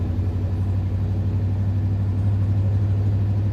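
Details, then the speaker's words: 1977 Ford F-150 Ranger XLT 4x4, 4-speed manual, on test drive starting in second: steady low drone pulling evenly under load, clutch grabs well, no grinding or clashing; normal gear shifts. "Clutch grabs really well. All the gears shift well, no grinding, nothing like that."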